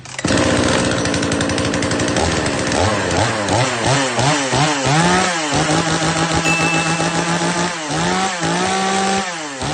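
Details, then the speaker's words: Chainsaw with a modified exhaust, revved repeatedly from idle to high revs and holding steady without climbing into a thin scream; the carburetor is deliberately tuned slightly rich so it can cut continuously for long periods. "เนี่ยครับอันนี้ผมยังไม่จูนแหลมนะครับผมจูนให้น้ำมันหนานะเสียงมันจะเหมือนเหมือนจะแป๊ดขึ้นได้อีกนะเหมือนจะฟีดขึ้นได้อีกนะ"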